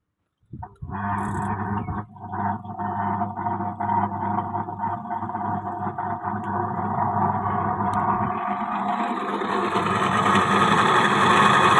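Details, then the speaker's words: Hitachi twin-tub washing machine spin-dry tub: winds up into a loud, rising rough roar. Caused by a failed motor bearing from water leaking and dripping onto the spin motor. "ครับสาเหตุมาจากตลับลูกปืนอ่ามอเตอร์เสียนะครับเนื่องจากว่ามีน้ำหยดลงไปถูกมอเตอร์นะครับ"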